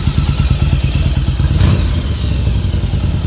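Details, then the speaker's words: 1989 Yamaha Virago XV1100 V-twin with cleaned stock dual Mikuni carbs, first start after about 7 years sitting: a loping, slightly unsteady idle around three beats a second that still throttles up. The idle needs adjusting. "it sounds like my idols off a little bit but they still throttle up"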